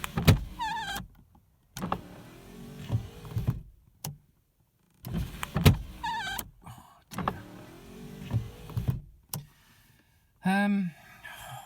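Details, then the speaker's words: Rover SD1 early Series 2 driver's door window after a failed regulator fix, door card refitted and now worse; the motor whines in short, strained bursts with stops, labouring on the way down while going up is fine. Regulator binding. "Doors on, everything's back together again, and it's, if anything, with the door card on, it is worse. Look at this sounds. I mean, that's just goes up no problem, but coming down."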